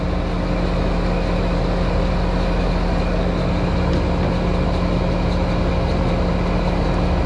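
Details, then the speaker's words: American Standard AC outdoor unit running: loud steady hum with a rough grating drone; condenser fan motor bearings failing, refrigerant pressures okay. "thank you fan motors going out you can hear the bearings in that fan motor they do not sound good"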